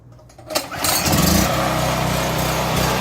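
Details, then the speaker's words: A small generator engine runs rough and surges up and down, recorded before repair. The owner believes a dirty carburetor is the cause and plans to clean it. "And yes, it sounds rough and goes up and down with the engine noise. And uh I think that's a surging issue."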